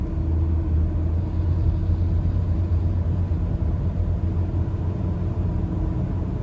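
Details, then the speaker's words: Used four-cylinder car on a pre-purchase test drive, accelerated gently from a stop: low engine drone rises gently, then pitch drops smoothly at each shift with no flare or clunk. Normal automatic transmission shifts. "I want this transmission to shift properly okay so I'm paying attention to the RPMs and I'm also paying attention that got one shift"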